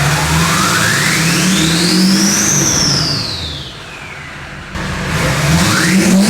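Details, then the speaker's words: Duramax diesel in a K20 build: revs up smoothly with a clean rising turbo whistle that falls away as it drops back, strong and even throughout; it sounds healthy. "Listen, it sounds great. It sounds absolutely. It sounds like it's mean, bro."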